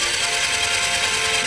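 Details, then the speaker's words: Italika TRN150 12 V scooter cranking: fast, even starter whirr with no compression pulses; first thought to be lost compression, but the timing chain and camshaft do not turn while the magneto does. "yo sinceramente pensaba que era la compresión porque se oye iguali Tito que una moto cuando ya no tiene compresión pero miren vemos que no gira aquí lo que es el árbol de levas ni cadena de distribución"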